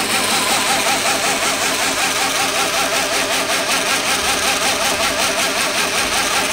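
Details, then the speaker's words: Reeder 2x72 belt grinder, 2 hp Hallmark AC motor on KBAC-27D VFD, belt on, about 30-40% speed, motor not yet mounted: loud hiss and whir with a pulsing throb; belt bouncing, too much vibration, motor or VFD suspected. "I don't I don't think that bouncing is uh gonna be acceptable it too much vibration"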